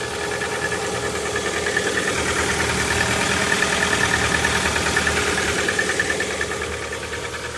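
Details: Lada Vesta engine started cold in sub-zero temperature: rapid even metallic ticking knock about three per second over the cold idle; cause not identified.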